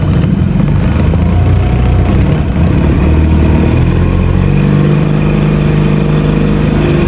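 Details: Outboard on a newly bought used Gheenoe on its maiden voyage, no electric start, wiring loose; low steady drone holding even speed after the restart, no misses or knocks; sounds healthy.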